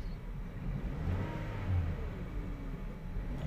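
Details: 2017 Toyota Vios 1NR, after one ignition coil was replaced following a cylinder 3 misfire: a steady low hum swelling smoothly as revs rise and fall, no stumble or jerk. Normal revving.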